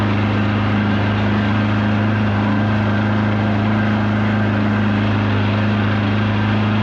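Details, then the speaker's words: 1979 Evinrude/Johnson 35hp outboard on the water under load after tune-up and adjustments: steady drone holding one pitch, never climbing to a full-throttle howl; adjustments failed, not reaching wide open throttle. "well the adjustments I made were no bueno it's not getting to wide open throttle so that's not good"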